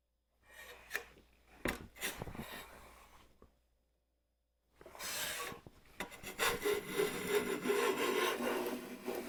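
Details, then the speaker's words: Stanley hand plane, first use in a long while and hard to fine-tune, pushed through wood beside a WoodRiver: rough rasping strokes turn into buzzing, juddering chatter as the blade vibrates instead of slicing, barely pulling a shaving; blade chatter. "It's hard to fine tune it. It's hard to pull a shaving off of it. Did you hear that chatter? That's that blade."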